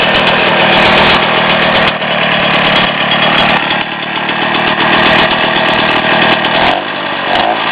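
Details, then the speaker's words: Rotax 247 two-stroke (10.5 hp, 250) from 1967 Ski-Doo Olympique, first run after bench rebuild: honed, new rings, crank bearings, merged Tillotson HL carb; crisp steady fast-idle buzz, slight speed wander, needs carb adjustment. "Need to do a little bit of carburetor adjustment, but you get the general idea."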